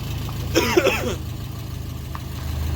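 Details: VW Beetle air-cooled engine running after an oil pan replacement following a holed pan and metal found in the pickup: low, even idle with no knocking or rattle; the engine is fine, though an exhaust leak is noted.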